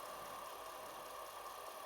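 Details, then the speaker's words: Commodore 4040 dual floppy drive after refurbishing (it originally wouldn't boot): a faint steady hum with a thin high tone on power-up, no clicks, rattles or grinding. The drive is then recognized as CBM DOS 2. "This sounds quite quite okay."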